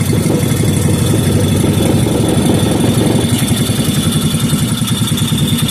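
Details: 5 hp Briggs & Stratton engine rebuilt from a very incomplete state, refired and left running with residual oil burning off: steady, even single-cylinder thump at constant speed, no misses or knocks; running healthy.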